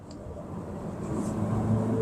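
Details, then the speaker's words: Mazda3 Skyactiv BN automatic with about 75,000 km on a test drive; an even engine and road drone builds smoothly with no flare, thump or slip between gears, so the gearbox is shifting normally. "แต่เกียร์เค้านุ่มนะไม่มีวืดวาดเลยนะเนี่ยอืเกียร์เค้าปกติครับ"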